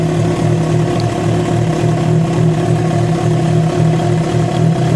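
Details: Yamaha FZ6 four-cylinder idling steadily with a loud low droning hum pulsing about three times a second; noise began after riding about 70 km on two cylinders due to a failed ignition coil connector; cause suspected, not confirmed.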